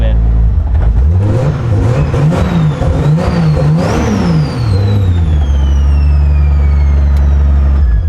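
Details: Nissan S14 with mostly stock 2JZ VVTi (head gasket and studs only), already run today, started and revved: strong six blipped up and down then steady idle; new noise since the LZ World Tour, cause unknown.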